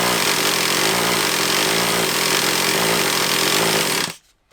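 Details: Traxxas Revo 3.3 nitro RC car engine, runs poorly with a leak at the low-speed needle: harsh high-pitched starter buzz for four seconds, never catches; hard starting, risking burning out the starter motor.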